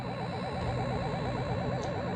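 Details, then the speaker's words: Nintendo Donkey Kong arcade sound board after startup sound restored: steady wobbling wah-wah siren tone with beeps over constant hum; blamed on faulty Q4 transistor (appears 1815) near the sound connector, to be replaced. "hopefully you can hear that sounds like a little siren and some beeps so the problem with that is q4 on the board which looks like it is a 1815 transistor"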